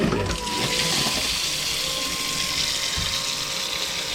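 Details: Boat water pump emptying a refilled bucket: steady even hum with strong rushing water, no surging or rattles, fast flow and no leaks found. Normal pump running.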